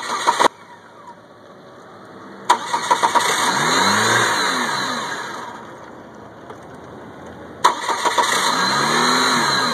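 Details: 1998 Chevy Cavalier that cranks but won't start; it only starts in hot, sunny weather. Two cranking attempts, each a burst of starter churning that dies away without the engine catching.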